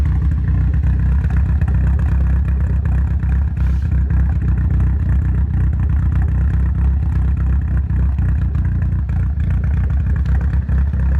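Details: Nissan Silvia S15 rough idle after full respray with engine removed and reinstalled, ran perfectly before removal: low, uneven, lumpy stumbling idle; cause not yet found.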